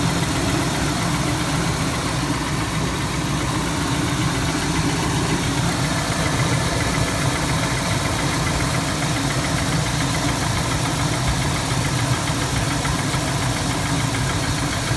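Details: 2003 Chevrolet Tahoe Z71, 5.3 Vortec V8, 178k miles, idling with a light fast tick that follows engine speed, from the passenger side and constant while driving; owner suspects lifter tick or possibly a broken exhaust manifold bolt.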